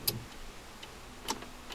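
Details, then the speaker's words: Honda Accord electrical no-start, recorder placed close: turning the key gives relay clicks (fuel pump relay) then silence on start; sharp isolated clicks about half a second apart, no starter turning. "je vais manipuler la clé donc la contacter on entend le men riz lait qui fait fonctionner la pompe à essence et là j'essaie démarré de la silence"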